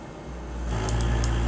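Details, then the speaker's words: Closed-loop servo motor with the loop gain turned up: a low hum builds, then a steady higher buzzing tone takes over as it oscillates at a new, higher frequency full of harmonics, after an earlier 25 Hz oscillation; it needs phase-lead compensation. "then enormous again but it's beginning to oscillate there's another frequency higher up now"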